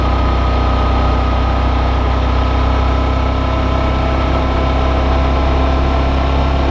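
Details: Brand-new Suzuki V-Strom DL650, comparison test ride against owner's white bike suspected of engine knock: even deep engine drone with smooth steady beat, no knock standing out; normal engine running.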